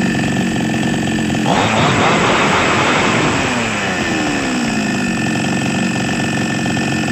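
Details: Small Chinese chainsaw that was hard to start and had to be primed, after the fault was found and fixed; fires, revs sharply, then settles to a smooth steady idle with no sputter or hunting.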